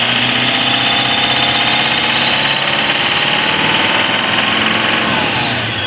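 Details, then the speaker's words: 2017 Toyota Land Cruiser VX200 diesel, steady even idle after repair without overhaul; previous knocking and ticking gone; turbo pressure sensor tested normal. "Alhamdulillah normal nih, Pak. Alhamdulillah bisa saya betulin. Ngerteeknya hilang, knockingnya hilang."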